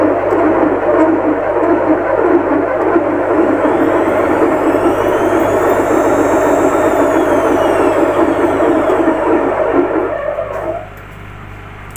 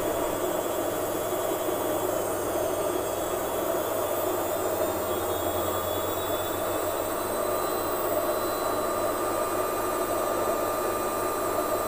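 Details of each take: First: Lux Royal WH 1093i washing machine before repair, fast spin: loud rushing scrape with rough beat about twice a second as the inner drum rubs the door gasket and knocks, caused by a cracked, corroded spider pulling the drum forward; bearings fine. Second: Lux Royal WH 1093i washing machine after replacing the inner drum and cracked spider with shaft: fast spin, smooth steady hum with faint constant tones, no gasket rubbing or knocking behind the drum; sound now normal.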